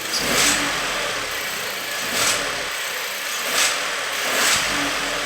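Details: VW UP! 1.0 TSI turbo engine revving in repeated surges with a hissy, airy edge; an odd engine noise whose source is unidentified.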